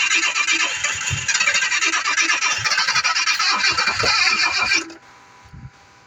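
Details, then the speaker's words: 1986 Jaguar XJ6 unstarted for two years: engine catches and runs raggedly about five seconds then cuts out, dying when accelerated; stalls after starting. "you see the fire has died the fire has gone off so let's start again [Music] oh [Music] you see the problem once we start and try to accelerate then the fire goes off"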